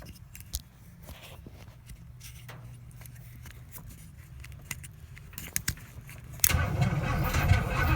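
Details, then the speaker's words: 1972 Pontiac LeMans with 350 Pontiac engine and TH400, off the road since 2003, fuel poured into the carb: quiet rhythmic cranking, then a loud burst as it almost catches but doesn't start. "that almost just started wow that's impressive let's try it again"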